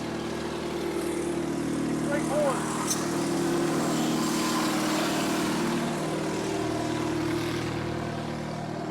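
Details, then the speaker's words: Abandoned repo'd Case cotton picker with Cummins diesel, first start after missing fuel line fixed and air purged: firm, even diesel drone, steady beat, no misses or knocks; runs strong. "that's fine ain't it dude i know it was full of air yeah that's strong listen that a3 ain't no joke"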